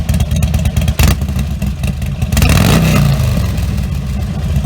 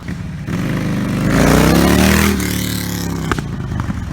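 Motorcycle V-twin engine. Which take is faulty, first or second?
second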